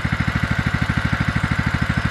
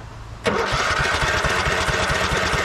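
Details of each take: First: 2004 Craftsman LT1000 riding mower, Kohler Command Pro 16 single-cylinder, first run after purchase, choke used, heavy burnt-oil smoke clearing: even, steady pulsing of about twelve beats a second with no misses or knocks. Normal idle. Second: 2004 Craftsman LT1000 riding mower, Kohler Command Pro 16 single-cylinder, after swapping in a bench voltage rectifier: cranks hard and sputters about six seconds but never catches. Fuel starvation; cranks but won't run.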